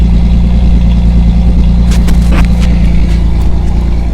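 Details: 1985 Ferio with about 87,000 on the odometer, cold start, microphone in the back: steady, even low idle right after starting, no knocks or ticks; sounds healthy.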